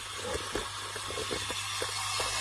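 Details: 2012 Nissan Navara D40, fault code P0488, engine off, EGR valve powered directly from battery with jumper leads: faint whir with soft clicks about three a second under hiss; EGR motor runs but the valve stem is stuck.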